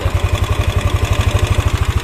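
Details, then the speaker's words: Yamaha N-Max at idle after the tensioner hole is closed up: even thump of about nine to ten beats a second with no ticking on top. Normal idle, valves quiet. "begini Jadi enggak ada suara tetap lagi ya aman"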